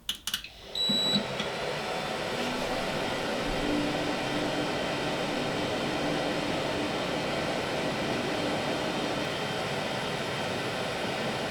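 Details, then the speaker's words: New server after swapping in six Noctua NF-A12x25 120 mm PWM fans for the loud stock fans: a short startup clatter, then an even airy rush at about 52 dB. The faint high whine is suspected to come from the power supply fans. "fifty-two and I suspect that that 52 decibels actually comes from the power supply fans more than the Noctua fans"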